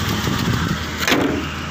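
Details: GAZelle van after its ZMZ 405 engine with knocking hydraulic lifters was replaced by a ZMZ 406 with 90,000 miles: steady, even idle with no lifter clatter or ticking; valvetrain quiet.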